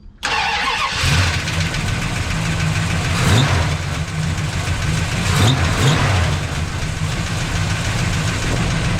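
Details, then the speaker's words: 383 big-block Dodge D100 lowered pickup with new headers and 3-to-3 single exhaust: V8 cranks, catches and settles into a deep steady idle, checked for exhaust leaks and none heard; slight lifter noise noted. "a yeah way better I have always liked the exhaust on this thing these 3 to3 sound good"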